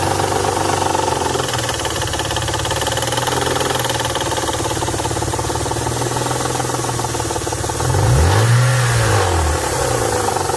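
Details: 1992 Nissan 300ZX non-turbo: hard, steady knocking about four per second over the running engine, louder as it revs, started suddenly out of nowhere; cause unclear.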